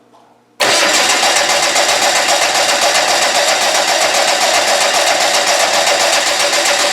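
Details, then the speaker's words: Land Rover 200Tdi diesel on a simple setup with a Discovery ignition switch, cranked to bring diesel up to the injector pump. Steady, even cranking at about four turns a second; the starter is strong and working normally. "we've got the fuel it just take some cranking to get fuel up that starter sounds good now those uh roll core starters are very good"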